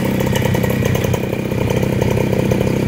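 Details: Fresh Breeze paramotor, 312 cc two-stroke with 4-blade propeller, at idle: even, steady putter about three to four pulses a second, no misses, quiet enough to talk over; normal idle.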